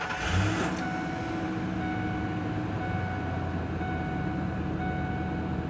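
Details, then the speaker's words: 2000 Ford Expedition, 5.4 V8, after ignition switch replacement. Brief crank, the V8 catches and settles into a smooth, even idle, then shuts off with no accessories or blower left running and no clicking under the dash. Normal start and idle. "and turn it off and no accessories are on nothing's running no blower motor you don't hear any clicking"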